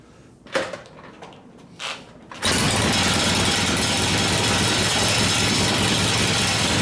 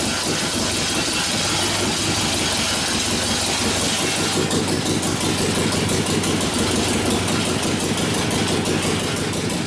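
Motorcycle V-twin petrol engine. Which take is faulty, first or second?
first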